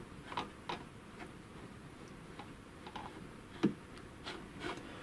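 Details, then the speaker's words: Chaika-2 sewing machine, zigzag on, shaft turned by hand after removing one of two washers to cut play at the zigzag cam follower: light irregular wooden ticks persist, a small knock from remaining play in the zigzag linkage. "Включаю зигзаг и кручу вал. Стук присутствует."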